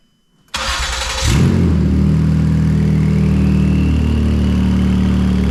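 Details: Ford Police Interceptor Utility (Explorer), first start after replacing twin turbos and reassembly: catches after a short crank and settles to a loud, raw, deep idle rumble; exhaust thought not hooked up, nothing coming out of the tailpipe.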